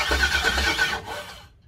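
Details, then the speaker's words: Ford Model A hot rod with LS V8 swap, first start attempt on poly wiring harness, about a gallon in a fresh tank: starter cranks steadily but never fires; owner suspects no fuel reaching it and plans to check fuel pump power. Crank, no start. "We'll start troubleshooting. Engine's turning over. Doesn't sound like there's fuel going to it."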